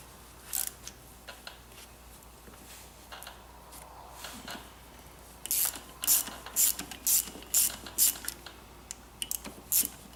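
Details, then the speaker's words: 2007 Suzuki RM85 during clutch teardown, first gear engaged: dry uneven ratcheting clicks in bursts about two a second, does not sound good, cause unknown — gear ratcheting noise. "That's first gear, guys. That is first gear. It does not sound good at all, does it?"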